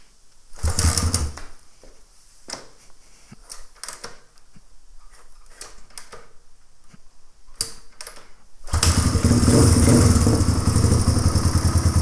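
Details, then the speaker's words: 1997 Suzuki DR350 single-cylinder dirt bike after a new flywheel key was fitted: scattered sharp pops and stumbles, then a lumpy, low idle. It backfires and won't hold idle, though carburetor settings are unchanged from a faster idle minutes earlier. "now it's backfiring there's something funny happening minutes ago it idled a lot faster than that with the exact same carburetor settings"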